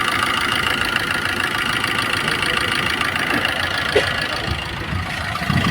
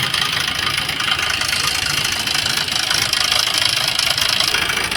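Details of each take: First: Maruti Suzuki Swift diesel, about 154,000 km, after the full timing kit was replaced for a heavy knocking noise. Smooth, even diesel idle with no knocks. Normal idle, the noise is gone. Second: Maruti Suzuki Swift diesel, about 154,000 km, idling with a loud, harsh metallic clatter; mechanic suspects the timing kit (timing chain), with rocker noise not yet ruled out before opening the engine.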